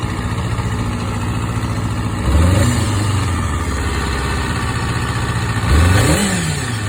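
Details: MC22 engine idling with quick blips; a faint uneven clatter sits under the engine note and the cause is not pinned down.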